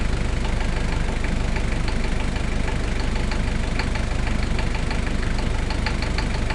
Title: barulho no motor 1kzt